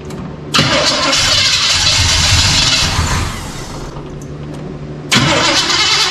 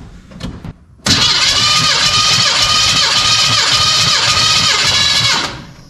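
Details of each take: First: 1985 Chevy C10 with a 307 small block and Quadrajet, started as-is with only the spark plug gap changed, vacuum gauge on the manifold, through dual exhaust. Cranks and fires, then runs loud and uneven; rich-running rough idle. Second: 1985 Chevy C10 with a 307 small-block V8 and Quadrajet carb, compression test: strong, even starter cranking for about four seconds with a steady beat per compression stroke; healthy compression.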